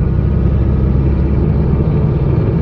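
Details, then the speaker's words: Buick engine running smoothly with an even low rumble and no misfire, after refitting the temperature sensor that a manual gauge had replaced, which had kept the ECU running rich after warm-up. "yeah she's she's running good now if I can get the fuel gauge to not either say full or empty"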